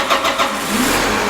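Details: Tractor (the 340) with starting trouble after a fuel filter change and bleeding: brief crank catches quickly into a steady, even engine note with no stumbling; a clean, healthy restart.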